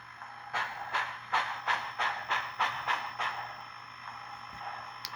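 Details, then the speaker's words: Proto 2000 USRA 0-8-0 model locomotive, bought non-running and repaired (cracked axle gear), 2000 µF capacitor added for stalling; even clicking about three times a second, no binding, runs very smoothly. "that's really good anyways yeah that's a very smooth engine"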